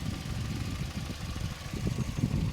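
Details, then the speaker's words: Used car, heard under the hood: timing belt sticker shows it was done at 101, now overdue, and the alternator looks fairly new. Smooth idle hum with no knocks, ticks or squeals, and the AC clutch cycling. Normal idle. "But yeah, nonetheless, everything sounds good here. Looks like a fairly new alternator."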